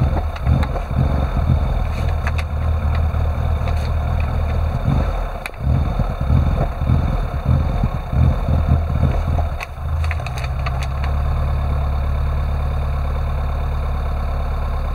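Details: Classic Rover Mini with an unstable idle: it won't rev when the throttle is opened, although the throttle voltage changes. Idle hunts and stumbles unevenly for about ten seconds, then settles into a flatter hum; rough running.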